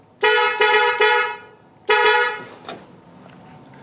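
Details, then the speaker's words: 1953 Buick, new small replacement horns grounded to mounting bolt, wired via Painless harness: three quick toots then a longer blast, bright clean mid-pitched tone, less deep than the originals; horn working normally. "Oh, that's not too bad. That sounds pretty good. It's not as good as the old original horns that were like really deep tone, but that will work."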